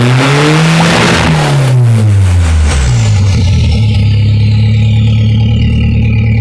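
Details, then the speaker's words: 2.3L turbo Ford engine in a sand rail, after adjusting the timing and confirming good compression: revs drop into a rough, busy idle with a loose, uneven clatter. It sounds better than before but the fix is unconfirmed; engine clatter. "whoa that thing is it sounds better than it was before it sounds like it anyways it kind of has a weird clatter but I would say that is like a half success"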